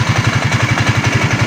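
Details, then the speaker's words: Raider 150 Fi motorcycle engine just after re-doing an overhaul that left it noisy: steady, even low idle putts with light revs and no knocking, replacing the earlier rough, clattering sound. "Malayo na siya sa tunog kanina na magaspang na akala mo may nag-uumpugan sa loob."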